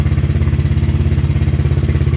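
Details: Honda ADV 150 single-cylinder first start after DCR cam install and timing correction: fires and settles into an even, steady putt at about ten beats per second, no ticks or clatter; normal idle.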